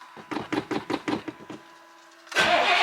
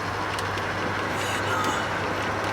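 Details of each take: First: Carbureted vehicle at startup, given accelerator pump shots: about eight slow cranking beats fade, then a louder churning burst follows without a settled idle. It seems to need more fuel, not less; cause not confirmed. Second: Engine driving at operating temperature, downhill on slight extra throttle, with fresh break-in oil (about 300 miles on it); even, steady hum with no misses, knocks or surges over road noise: smooth normal running.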